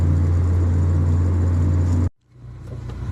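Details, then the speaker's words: 1997 Honda Civic DX, in second gear, foot to floor up a modest hill at about 20 mph; plugs, wires, rotor, IACV, EACV cleaned, timing checked; steady drone then power drops abruptly and slowly recovers: random engine stumble under load, cause unknown. "Okay, you can hear it stumbling first. I'm going up a hill. It's not that high of an incline."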